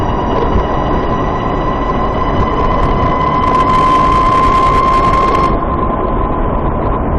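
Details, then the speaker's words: Warmed-up VX1 climbing a small hill: a thin high chirp near 1 kHz swells and sharpens under load, then fades. Owner says it is louder once the transmission warms and starts around 30 mph. Transmission chirp suspected, not confirmed. "Yep, that brought it out. That was another hill, and it was nice and loud, if you can call that nice."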